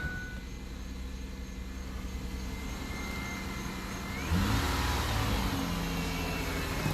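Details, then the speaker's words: 2005 Ford Five Hundred after an exhaust repair, with the flanges clamped together using clamps: petrol engine idles with a low even hum and revs cleanly, now quiet with no exhaust leak heard. "So this is at least quieted down now. Doesn't sound like it has any exhaust leaks at all."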